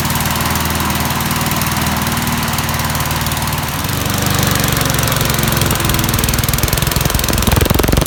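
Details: 1988 MTD self-propelled mower single-cylinder engine, first run after refitting the head, on premixed two-stroke fuel because of water in the tank: steady, even putter that picks up slightly; runs smoothly with no misses.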